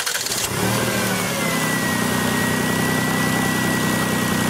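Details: 2000 Lexus RX 300 after a no-start repair: quick crank, clean catch, brief rev flare then a smooth, even idle; normal start.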